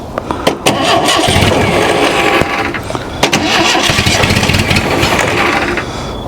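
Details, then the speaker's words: Ford Pinto engine in kit car sitting outside since 1995, after correcting cam timing that was way out: irregular cranking turns into a few ragged firing bursts that briefly catch before fuel added to float bowl. "Holy [ __ ] Holy [ __ ] Y'all see that or hear it? That's a good sign."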